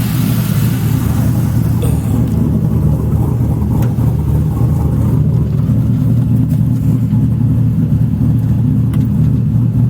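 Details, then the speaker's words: Sludgy 4.8 L LS V8 swapped into Miata, warm at about 194 after bleeding coolant; deep even burble, no misses, knocks or rattles; normal running, clutch unconfirmed. "It sounds good. Hopefully the clutch is good."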